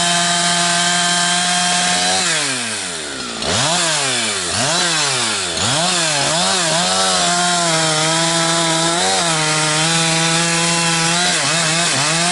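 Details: Husqvarna 362XP Special with wrong ignition coil and Walbro carb, cutting firewood: revs sag and gargle climbing toward 11,500–12,000 rpm, cutting out near 10,000–10,500; fine around 9,000 rpm dogged into big wood; not carburetion, wrong rev-limited coil cutting out at high rpm.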